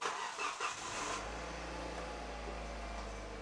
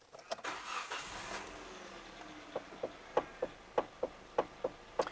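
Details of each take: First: Hyundai i30 after replacing the worn flexible rubber steering coupling that caused a steering clunk: engine starts and settles to a quiet, even idle with no knock or clunk from the steering. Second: Hyundai i30: the engine starts, then sharp clacking knocks about twice a second come as the steering wheel turns back and forth. The cause is a worn flexible rubber steering coupling on the column, mostly disintegrated, a common Hyundai/Kia fault.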